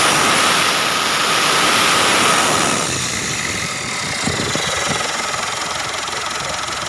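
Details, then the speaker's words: Mitsubishi Triton GLS 4D56 diesel at idle, mic at engine: steady high droning whine over clatter, like something dragging, resembling turbo but not; suspected tensioner or alternator, found to be a loose alternator pulley. "Terdengar suara mendengung di area mesin. Saya memfokuskan suara pada bagian mesin ini . Kemungkinan besar masalahnya ada pada tensioner atau alternator, dilihat dari suaranya."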